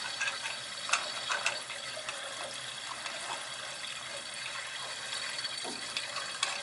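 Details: Gas boiler hydronic system with no heat in one zone and relief valve leaking: rushing water hiss with gurgles and pops as air is purged from that zone at the purge station.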